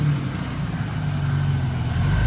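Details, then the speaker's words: Buick 3.8 L V6 that cranked but wouldn't start, now running after a replacement used engine computer was fitted: steady, even warm idle rumble with the cooling fan kicked on and whooshing; healthy, and the car drove well. "the fans's kicked on I think we're doing pretty good yeah at this point the car drove really well"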